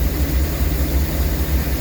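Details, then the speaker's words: Rolls-Royce Silver Shadow 2, sat neglected over 10 years, after twin SU carburettor rebuild and idle adjustment: deep lumpy, stumbling idle while pumping black smoke; cause not understood. "It's just pumping black smoke out and it's idling weirdly. So, I don't I don't understand it. I really don't understand what's going on."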